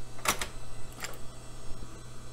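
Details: Floppy drive in an old Dell system: a few sharp mechanical clicks and a brief head-stepping buzz over a low hum. The floppy drive seeks and works normally.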